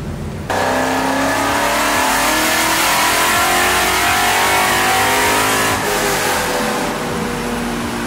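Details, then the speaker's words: Coyote 5.0 V8 swapped New Edge Mustang drift car on dyno, first pull after retune with HPtuners (mass airflow curve, power enrichment, cam changes): strong clean sweep rising smoothly, no misfire or stumble, not fully maxed; healthy pull. "Yeah, that sounded good. Yeah, everything looked pretty good there. Just didn't give it all the beans yet."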